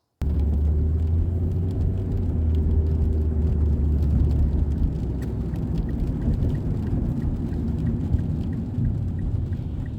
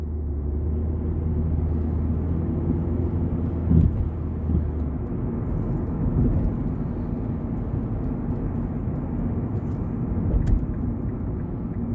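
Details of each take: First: 2006 Mazda 3 2.0 L, road test after replacing the main engine mount and the lower transmission mount: steady engine and road drone under rain hiss, with no rattles, pops or clunks; normal driving. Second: 2006 Mazda 3 2.0 L driving normally, heard from outside while tapping the accelerator in drive and reverse: steady road rumble broken by sharp pops and rattling knocks every few seconds; heat shields ruled out, suspected worn or torn engine mount.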